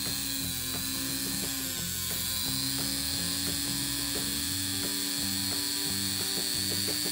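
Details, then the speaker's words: Rivarossi Santa Fe U25C model locomotive motor, previously seized by severe internal corrosion, now freed: small motor spins up to a high, steady whine with light rapid ticking, running freely and evenly with no binding; normal motor running. "oh hey here we go we've got a runner river rossi hell yeah okay well it's running"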